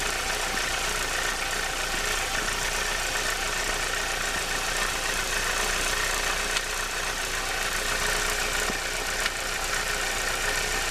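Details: Renault 19 16V phase 1 F7P petrol engine idling with the alternator belt removed: a hissing, whirring top end and a faint loose ticking, a strange noise from the timing belt area.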